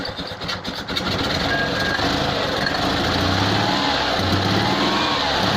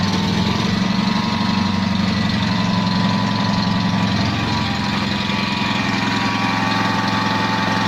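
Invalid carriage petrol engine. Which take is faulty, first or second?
second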